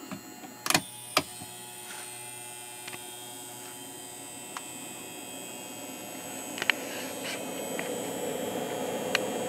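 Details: Harbor Freight Centech 69662 2000 W inverter on a new 100 Ah lithium iron phosphate battery, with a 1500 W heater load switched on. Steady electrical hum with a few clicks that grows louder under load; the inverter tripped shortly after.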